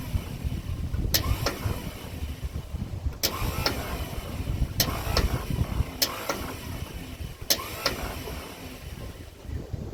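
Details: 1956 Ford truck, 45,000 original miles, sitting about 40 years: sharp double clicks about every 1.5 seconds, starter never turns the engine over. Owner suspects a sticking Bendix; starter rebuild considered.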